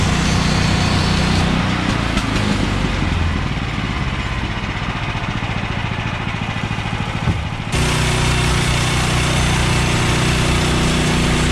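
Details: Bandsaw sawmill cutting 3/4-inch by 6-inch boards after the blade was refitted, having jumped off its bandwheels from too much Pine-Sol and water lubricant. Steady engine drone settles slightly under load through the cut, then picks back up; cutting normally.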